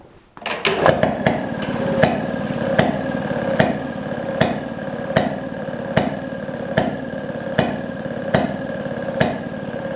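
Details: 1929 Maytag Model 92 single-cylinder washing machine engine after rebuild (new coil, points, condenser, magnet, plug, wire, fuel tank, mixer gasket, kick pedal): catches after a few fast pops, then crisp even firing about once per second; running fine.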